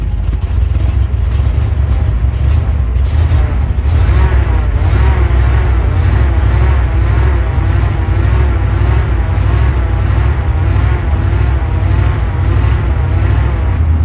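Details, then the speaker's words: Soviet Ural military truck V8 running after fuel-starvation cold-start troubles at -8°C: deep, even rumble at steady idle with no misfires or knocks; normal running. "Well, that did it. I love the engine rumbling sound of the Soviet V8. Both the Zil and the Ural sound wonderful."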